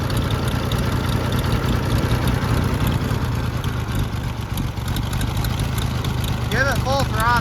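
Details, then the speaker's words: Revived Oliver 70 tractor while the idle screw is adjusted, engine temperature around 134–145: low, loose idle with an uneven stumbling beat about three pulses a second; rough idle, not firing on every cylinder. "I think that's it trying to pick up cylinders but I'm not sure about half thrt I'm messing with the uh idle screw right now for the high speed jet right"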